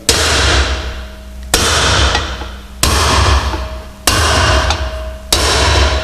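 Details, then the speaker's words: Amazon-series car (PV544/P1800 family) rear hub, drifting wheel studs into a new brake drum on the original hub: five even hammer taps with a deeper, solid note rather than a sharp high-pitched one, showing each stud has fully seated. "we go is a deeper a more solid note when they've gone home"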